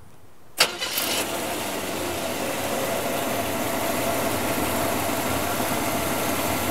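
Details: 1970 GMC Fleetside pickup, 350 V8 with Turbo 350 automatic, about 100,000 miles: a short crank, then it catches at once and settles into an even, steady idle with no ticks or stumbles. Runs well.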